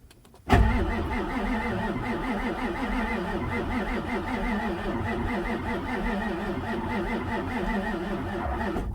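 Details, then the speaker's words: 1994 Ford F-450 Super Duty 7.3 turbo diesel, sat for months, glow plugs not cycling with a glow plug control circuit code, propane fed into the intake: steady even cranking for about eight seconds, never fires; crank no start. "it's not firing I don't have starting fluid and I don't like using starting fluid I would expect it to fire or do something unless there's a mechanical problem in the engine"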